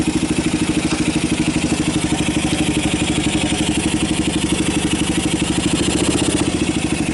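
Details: 1990 Kawasaki Bayou 220 ATV single-cylinder on choke after cold start, carb replaced, good compression; steady quick even putter with slight top-end clatter, smooth and consistent, battery charging, a little smoke. Normal idle.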